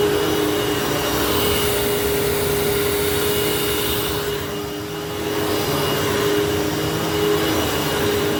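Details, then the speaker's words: Hoover fold-away vacuum motor running after motor bearing replacement: steady even roar with constant high whine, no rasp or grinding; before the repair it had a long wind-down with bearing noise, now much better, healthy. "That is way better. So before this thing actually had a long wind down and with that long wind down there was definitely some bearing noise. So I'd say that was a big success."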